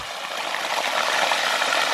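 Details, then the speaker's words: Micro hydro penstock pipe during pressure test: steady hissing gush of water spraying under pressure after a loud bang; end coupling joint burst off, either not strong enough or not tight enough. "whoa i just heard a big jump oh no the end just busted off save the stuff yikes well that tells us that that joint right there is not going to be enough to hold that"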